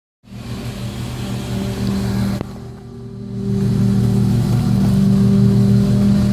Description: This is what a bad wheel bearing looks/sounds like (off the ground). On any car, if there's a whoo-whoo-whoo noise then check your bearings.